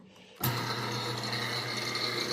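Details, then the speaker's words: Fertilizer injection pump gearmotor, unloaded on bench after reassembly with new gearbox oil and a new key: steady hum, faint whine, old rumble gone; owner suspects worn key wobbled and made heat; slight remaining vibration is the fan. "Doesn't have that rumble to it anymore. Maybe that was it. That key was just worn out and it was getting wobbling too much, and that was creating too much heat."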